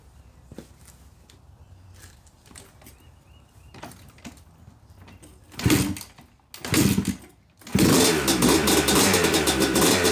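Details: Yamaha YZ250 two-stroke motocross bike (270cc/250cc), first start after year-long full engine rebuild (bottom end, transmission, bearings, clutch, power valve): quiet kicks and false catches, then fires into loud crackly idle; took a few kicks, normal; heavy smoke normal from assembly oil; healthy running.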